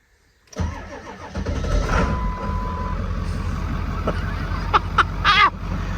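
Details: 7.3 Powerstroke diesel truck sat about 4–5 years, low battery voltage, no stored codes: fires after barely three or four revolutions on a two-bolt starter and settles into a steady diesel idle; clean, healthy start.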